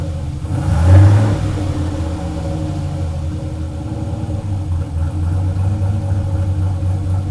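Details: Turbo LS Chevelle with Holley Terminator X on first start, fuel pressure 75 psi: deep rumble that flares then holds a raised fast idle, above target with the idle air control at 0%; owner suspects the throttle blade is open too much.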